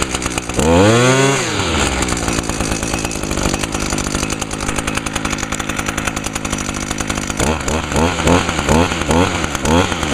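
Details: Echo two-stroke (model not stated) left all winter with VP ethanol-free small-engine fuel in it, no winterizing or cylinder fogging; crisp buzz blips up and settles to a steady idle, picking up cleanly, barely a little smoke; runs healthy.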